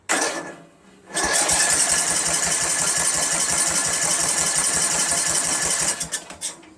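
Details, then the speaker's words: 1999 Craftsman LT1000 lawn tractor, Briggs 17.5HP engine after Walbro carburetor swap and starting fluid: steady cranking about four turns a second, no pop or catch; 130psi compression, valves adjusted, good spark, still won't fire. "Nothing. Not one thing. It's incredible, man."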